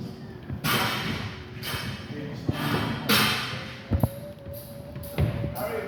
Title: Machine Making a weird noise